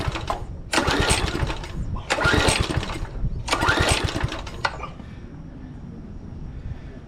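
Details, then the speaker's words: 2007 McLane reel mower small engine before the carb clean, pull-start cranking during a compression test with choke off, reading about 70, possibly through the decompression release. Three rough, uneven chuffing bursts that never catch; cranking no-start. "That's not real good. Well, correction. This is probably decompression release, so that is a little low. About 70."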